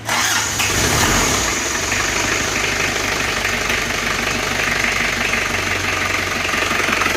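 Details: Isuzu Panther 2.3 diesel, first start after rebuild (heavy blow-by and smoke; broken piston replaced, new rings, reused liner): fires straight up, settles into steady diesel clatter with even beat, no stumbling; running properly.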